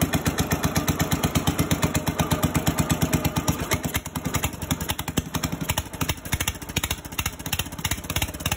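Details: 1965 Cub Cadet 100 garden tractor, first start in years, only fix a power wire run to the coil positive: steady chugging single-cylinder beat about three pops per second, even and sustained; running normally.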